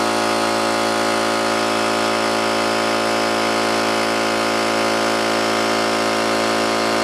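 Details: New oil-lubricated Campbell-Hausfeld air compressor, regulator fully down and drain valve closed, filling tank under load: loud even motor-and-pump drone holding steady, no metallic clatter or knocking; running healthy.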